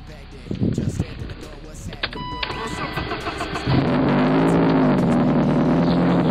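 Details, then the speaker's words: E30 on a cold first start: a wavering, squawking "wild turkey" squeal rides over the idle and persists. One loose accessory drive belt was found by hand, and the belts were then replaced. "now I know you hear that wild turkey in there I know you do and I already know which one it is cuz I came out here just a minute ago and I started touching around pilling which belted loose and it is that one"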